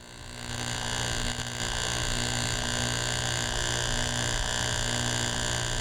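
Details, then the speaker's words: Driveline demonstration model: a card held to the sprocket on the first shaft, driven directly by a constant-speed electric motor, gives an even, steady buzz whose pitch never wavers, indicating constant shaft speed. "The constant sound indicates constant speed."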